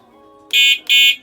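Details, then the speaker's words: Revived quad bike (ATV) after the fire, now on four 12V 15Ah SLA EV batteries giving 51V, with a 25A fuse replaced after it failed: two short, bright, even beeps of a high buzzy horn. Horn working. "Horn's working."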